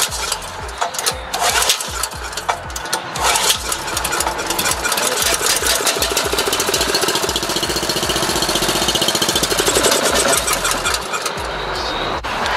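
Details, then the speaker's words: Dayton 4000 W petrol generator, no start, fuel filter cleaned, fuel primed into carburettor: engine catches then chugs and stumbles unevenly before dying; no fuel reaching carburettor from the tank, bowl drain plug showed no flow. "we weren't getting any gas to the actual carburetor we took that that winterizing check plug out of that bowl and we weren't getting any leakage at all"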